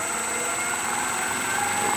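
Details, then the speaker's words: Max Universal 18-inch 3-phase pedestal disk sander on a Teco FM50 VFD from single-phase 240V, turned up to 60 Hz full speed; smooth, even high whine, steady drive tone, no knocks or rubbing; fairly quiet; normal running. "it's a little louder but still for a machine like this is hardly any noise at all I mean I'm not having to talk over it's pretty quiet"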